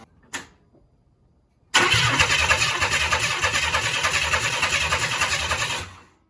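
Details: 1994 Chevy C1500 Vortec, first start attempt after fixing a starter kill-switch problem: about four seconds of strong, even cranking at a steady beat with no firing; turns over but does not catch, fuel supply in doubt.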